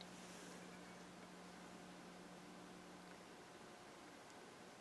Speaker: I lifted about 6 in away, the hum disappears.